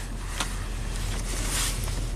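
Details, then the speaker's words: 2010 Nissan Maxima after replacing a leaking PCV/evap vacuum hose (P0171/P0174 lean codes) and reclamping the brake booster hose: smooth, settled idle with no hiss or stumbling; normal idle, vacuum leak fixed. "put that clamp back on fire this thing up oh we're definitely back in business now"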